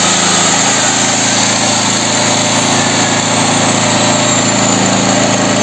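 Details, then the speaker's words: Small single-cylinder petrol generator, claimed 7 kW, that would not start (flat battery, carburetor and jets clean), after repair, started on half choke: steady, even buzzing run with no misses or knocks, runs like clockwork; normal idle. "как часики"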